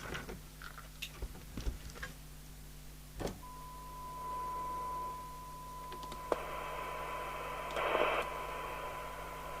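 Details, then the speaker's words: Interceptor TC300 CB27/81 UK FM CB radio under repair: steady high-pitched beep for about three seconds between handling clicks. The SWR alarm is sounding with still no transmit power. Receive is very deaf (30 µV for 12 dB SINAD), and the SWR alarm/thyristor cutoff preset had been removed. "still no transmitted power"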